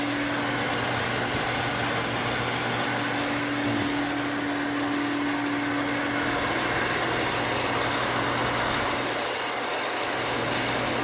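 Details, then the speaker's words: Well pump after rewiring with a new pressure switch: steady even motor hum with constant mid tone and no clicking or contact chatter, building pressure normally; chatter and short cycling fixed. "what i'm expecting it to do is to come on build pressure and turn off without chatter so far so good"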